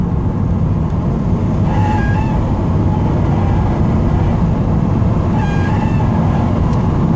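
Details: 2008 Subaru WRX Sportshift: loud engine drone under load with a short high-pitched screech, only while accelerating hard in gear, around 3,500 rpm, sometimes between gears, not when revved parked; source undetermined.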